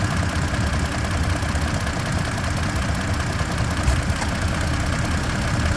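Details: 2024 Toyota Tacoma TRD Off-Road, engine running: steady low droning whir with a fast even flutter, helicopter-like, continuing throughout; source not identified.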